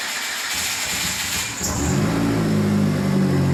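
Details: Hyundai Elantra E85 conversion with 1200cc injectors, after fixing fuel pump relay connector: cranks briefly, catches at about 1.5 seconds and settles into a steady even idle.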